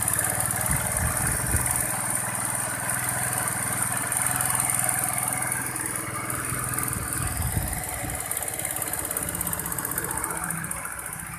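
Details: Honda Vario 110 scooter that hesitated on low-rpm first pull (mid/top normal, vacuum rubber OK) after air-screw adjustment: steady, even idle without hunting or dying, settled and healthy.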